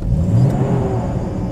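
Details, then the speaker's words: 1990 Jeep Comanche that previously started then died: on a test drive at full throttle, strong deep engine pull with no stumble or cutting out; running well. "All right, we are rolling. Nice power. It's not cutting out or anything. Pedal to the metal. Nice."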